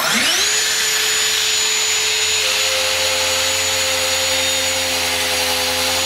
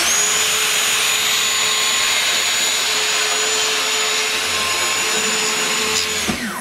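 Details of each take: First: Circular saw ripping stock at the limit of its depth capacity with an unsuitable blade. Whine rises to a high steady pitch, then sags and labours as rpm drops. Burn marks left on the cut. Motor bogging under load. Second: Circular saw after a burnt cut, depth lowered to about 50 mm on the rail. Steady high whine holds even pitch through the cut without bogging, then winds down. No burn marks, much faster cut, motor strained less. Normal cutting.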